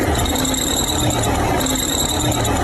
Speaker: 这个是发动机皮带